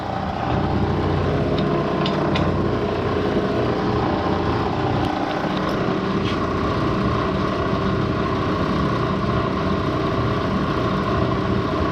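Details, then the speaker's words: 1970 Bridgeport milling machine, spindle head run in low range at about 200 RPM; even hum with light gear whir and no knocking or grinding, sounding healthy. "let's see what it sounds like okay it's not bitching at all"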